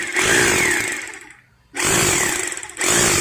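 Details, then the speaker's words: Maktec MT870 rotary hammer after repair of no-drilling fault: two bursts of motor whine with rough, rapid rattling, which before repair was smooth with no vibration; hammer action now working normally. "Nah suaranya ini udah terdengar kasar ya bukan kasar rusak ya tapi ini kasar menandakan bahwa hammernya itu udah berjalan"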